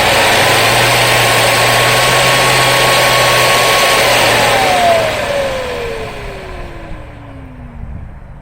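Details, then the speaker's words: 1995 Hoover Commercial C1125 upright vacuum, fan blades inspected intact, during partial teardown: loud steady motor roar, then switch-off with a smooth falling whine and no scraping or rattles. Motor and fan are in good shape; the belt and brushroll likely need replacing. "That's like a flawless wind down. So I think the motor's in good shape, fan's in good shape, the vast majority of the machine seems to be in good shape."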